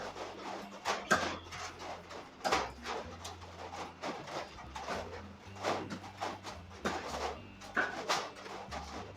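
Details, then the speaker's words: Metal sheet roof heating as the sun brightens: sharp, irregular pops and ticks from panels expanding, louder and more frequent on hot days; fixed by loosening and evenly retightening and adding all roof screws. "เห็นมั้ยครับก็เสียงที่หลังคาเมัชีมันลั่นนะครับมันก็จะดังประมาณนี้เลย"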